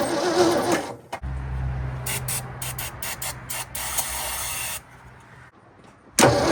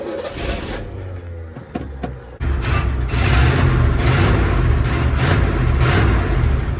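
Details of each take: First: 1967 Ford F100 abandoned 20 years, on a fresh battery with the fuel line unhooked: the starter cranks evenly for seconds but nothing catches; the carburettor accelerator pump was later found not moving. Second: 1967 Ford F100 V8 abandoned 20 years, after accelerator pump and fuel pump repair: catches and lopes with choppy idle between blips from an aggressive cam; runs well but has a bad carburetor fuel leak.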